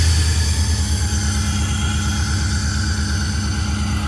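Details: Chevrolet Suburban with no compression on number four cylinder (oily plug), running warm with Sea Foam added and smoking: low uneven idle with irregular lope and stumble; rough idle, dead cylinder.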